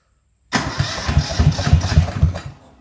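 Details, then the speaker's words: Yanmar YM1500 tractor diesel in restoration, new homemade fuel tank: about four even compression pulses a second for two seconds without catching; cranks but will not start. "okay here we go i put the fuel filler around the right way it's flowing the correct way i've cracked that little screw there on the top this one it's uh it was bleed screw so it needed to be bled and a heap big heap of air coming out so fingers crossed"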